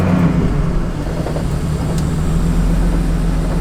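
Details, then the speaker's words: Petrol car idling at a meet, oil and coolant levels checked fine, engine light came on later: uneven deep beat with a faint irregular knock underneath; rough idle with knocking, cause not found. "that's knocking weirdly. Okay, that's weird. It's just a weird rough idle. I don't know if you can hear it. I can hear it knocking, but it's just idling rough."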